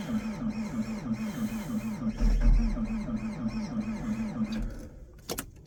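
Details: Diesel (svl97-2), cold at -15°F, not plugged in, fuel treated with Power Service: slow steady cranking about three turns a second that never catches, a cold no-start with the cause unconfirmed.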